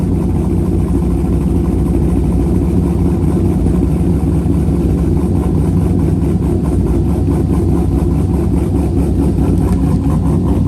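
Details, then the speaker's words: C5 Corvette with a BTR cam, just past break-in and after its first oil change, not yet tuned: loud, deep, choppy idle with an even lope, no knocks or rattles; a healthy cammed V8. "I haven't had this thing over 3,000 RPM in quite a while. Totally different car when you actually get to drive it a little bit. Some good rumblies in this beat."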